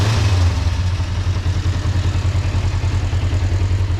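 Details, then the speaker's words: 2005 Kawasaki Ninja 500R twin, sat 10 years, after new carbs, tune, synchronization and oil change: steady low even burble, regular beat about 200 pulses a minute, no misses or knocks; healthy settled idle. "Sounds really good, man, with those new carbs and that tune and synchronization. It sounds really healthy. Super healthy."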